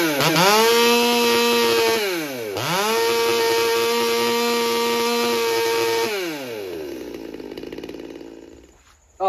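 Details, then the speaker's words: Stihl MS200T chainsaw, cold start, carb not cleaned, high and low screws about 1.5 turns out: the two-stroke scream at wide open throttle dips, recovers, then sags and wanders; the carburetor is still suspected and will be pressure tested. "because it was a little wonky the one time I went up to full idle or wide open throttle you heard it go you know it would just it wanders and that's why I think this carburetor is still suspect"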